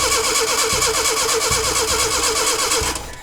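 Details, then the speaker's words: Rebuilt Datsun pickup engine: starter turns it about three times a second without a single catch, then stops; cranks no start, has air and fuel, suspected no spark; ignition timing a tooth off. "It obviously has air. It's got to be a spark issue. Yep. That's like it's getting no spark at all."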